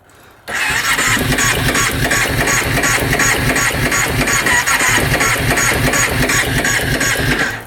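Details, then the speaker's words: 2005 Kawasaki Prairie 700 twin ATV, stored for years: the starter cranks steadily for seven seconds with even compression pulses and never catches, even with choke and throttle. The seller guessed it just needs a carb clean. "Right now, it just cranks and cranks and cranks. Doesn't fire up."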